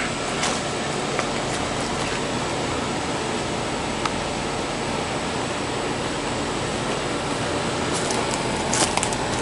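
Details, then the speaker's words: 1983 Gibson SlumberMaster window casement AC, 40 years old, repainted, first run after install, heard from outside: steady, even fan rush with a faint compressor hum and a few light clicks; compressor quiet, fan powerful, unit running great. "compressor is nice and quiet but I do hear the fan sounds powerful 40 year old unit still running great"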